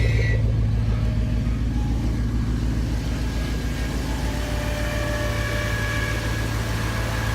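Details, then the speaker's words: 2004 Silverado 1500 V8, first cold start after sitting about six months, with a 10-degree night; about 800 rpm idle per the Bully Dog: an even low rumble that settles slightly after starting, with no knocks, ticks or misses, a smooth cold idle. "oh yeah that sounds so good right now you got to realize I haven't heard this sound in like six months so I'm super pumped"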